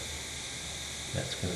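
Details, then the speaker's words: Old cast iron radiator while the heating system fills with water. Steady high hiss of air escaping from the leaking bell-shaped nipple fitting. "yeah I can hear the air hissing out of that bell-shaped nipple on the radiator no good"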